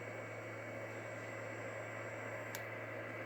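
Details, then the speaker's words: 191 Super K base station radio on the bench with RF power all the way down and mic gain fully open: a thin steady high whine over low hum and hiss; owner thinks it is a backlight transformer. "that's these these 959 bees boy they whine if you can hear that i think that's a transformer for the the backlight face anyways"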